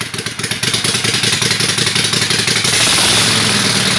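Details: Kawasaki FD620D V-twin in an Argocat after partial engine rebuild (oil pressure light wasn't going out), very cold day, started without choke; about 65 psi oil pressure while running, not bad. Steady loaded clatter about four beats a second, smoothing into even roar as revs rise: normal running.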